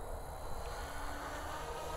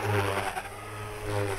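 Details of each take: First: RC helicopter in flight with ESC governor mode, gain properly set: rotor steady through maneuvers with brief load surges; head speed held consistent, governor working. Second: Electric RC helicopter at high rpm with ESC governor gain deliberately set far too high: motor chirps and the whine swells and dips about once a second as rpm hunts, making the tail wag; governor hunting from excessive gain.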